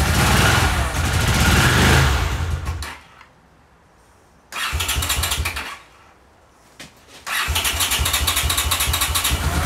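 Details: 1982 Honda CX500 twin, neglected for years, carbs cleaned and bench-synced with a welding rod: fires and runs, sags, cuts out, restarts and dies again within seconds; idle won't hold, carburetor idle problem suspected, cause unknown.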